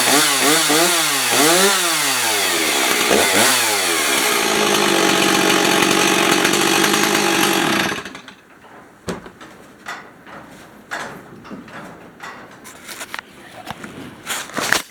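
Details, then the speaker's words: 1990s Stihl 026 Farm Boss 46cc chainsaw started hot on one pull; revs up and down in quick blips, then holds a steady high run before shutting off. Sounds healthy. "When you turn it on, after when it's hot, one pull."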